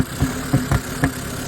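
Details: Hyundai Accent petrol engine idling roughly, with irregular deep thumps, pops and backfiring; spark plugs, injectors and mass air sensor already replaced, plug wires possibly too, cause unknown.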